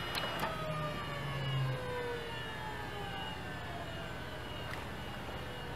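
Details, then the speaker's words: 24-year-old IBM Ultrastar 10,000 RPM SCSI hard drive powered off from full speed: several thin whine tones slide steadily lower in pitch over about six seconds as the platters coast down; normal spin-down. "and it takes ages to spin down from uh 10 000 RPM that is crazy"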